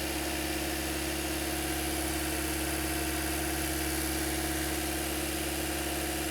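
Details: 2008–2013 Toyota Corolla after radiator and coolant connector replacement, warm at about 203–205°F with cooling fans cycling; smooth, even idle with steady low hum, no knocks or misses; normal idle.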